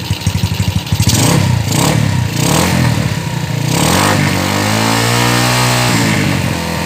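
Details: Yamaha Jupiter Z freshly fitted with new cylinder block, no air filter, not revved hard yet: even firing pulses swell into smooth rising rev under light throttle and settle back, no knocks or rattles; normal.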